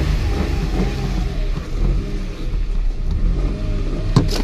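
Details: Car cranks briskly with a strong battery and a good starter but will not start; cold, humid weather hinders fuel vaporization; suggested fix is flooring the pedal while cranking.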